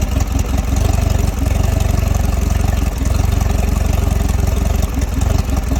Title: 2022 Mercury 150 rough idle